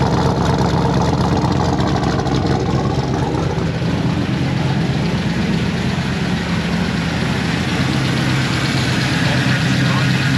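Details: L98 LS V8 swapped into a Toyota Land Cruiser 80 Series, first start before dyno tune: deep, loud, choppy idle pulsing steadily, even with no stumbles, sounding rowdy like a party; healthy normal cammed V8 idle.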